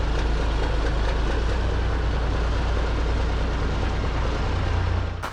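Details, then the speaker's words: CAT 3406B diesel in a K100 cabover Kenworth, after rebuilt injection pump: deep, even idle holding steady without misses, stumbling or surging; fix seemed to work, timing may still be adjusted. "so that seemed to fix it um we might play a little bit with timing yet"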